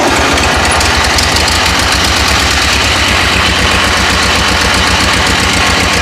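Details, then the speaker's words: Ford 8N tractor idling with 50 psi oil pressure, grille off, one side dented: a steady idle with a sharp regular tick on every turn. Something belt-driven is hitting; the water pump or fan is suspected. "Well, I got 50 pounds of oil pressure, so I got oil pressure, but something in there is messed up. Maybe it's a water pump."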